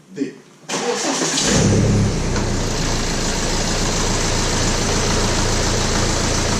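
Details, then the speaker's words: BMW E90 N47 diesel: catches after short crank, settles into loud, busy idle with metallic rattle on top, loud also at 1500 and 2000 rpm; stretched timing chain. "comme vous avez pu l'entendre la chaîne s'est bien détendu donc elle fait un peu de bruit enfin même beaucoup je dirais à 1500 tours minute et à 2000 tours/minute"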